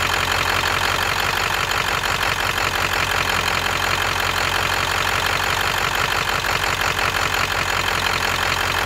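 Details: V8 idling with an uneven, lumpy beat that stumbles now and then; rolling misfire suspected, possibly a cylinder 8 misfire, not confirmed.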